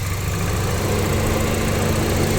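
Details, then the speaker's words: Auction car being inspected with minor front damage and a straight frame: steady, even low rumble with no knocks or ticks. A smooth idle; the engine sounds healthy. "Frame over here is straight. Engine sounds healthy."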